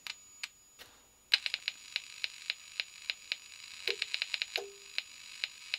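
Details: Victron Atlas Combi 12V/800W charger/inverter transformer under 6 kV insulation test, primary side: sharp dry clicks a few per second as voltage rises, flashovers to ground from defective internal insulation; unit is finished.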